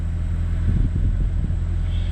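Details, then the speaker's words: Dodge Caravan with engine and blower running steadily, no clicking or knocking from the dash vents after the bad HVAC actuator was replaced; works on heat and AC, fixed. "it's working no more knocking no more clicking"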